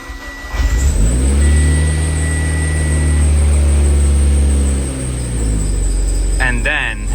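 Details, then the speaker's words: Car with a suspected bad transmission, believed to be the input shaft, possibly damaging the transfer case; a transmission code is set. It cranks briefly, starts right away and settles into a steady, low, even idle in park. "so here comes the scary part I go to start it starts right up"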